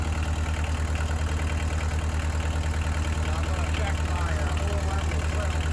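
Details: Bobcat 743 diesel started after an oil, hydraulic, fuel and air service with the fuel system re-primed. A steady, even thrum at constant idle with no misses, knocks or hunting; running healthy.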